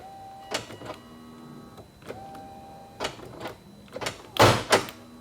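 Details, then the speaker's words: 2001 Volvo S60 2.3L, driver window drops freely; with the key on, the window motor hums in short runs while sharp pops come from behind the door panel; motor likely fine, worn regulator sliding blocks suspected. "you guys hear that there's a popping sound coming from behind the door panel so this tells me that the window motor is most likely good so we are probably dealing with a defective window regulator"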